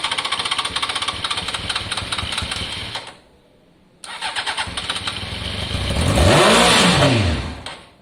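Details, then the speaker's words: Honda CBR600 F4i, fuel-injected, non-runner, crash-damaged seven or eight years ago: rapid cranking chatter, a pause, more cranking, then a brief rising catch that dies. It fires only on starting spray; fuel lines need clearing, no fuel delivery. "i think we know we've got an engine here that's okay but until we can clear out out all of the fuel lines and make sure fuel's flowing there really is nothing we can do you heard it start there on the spray alone"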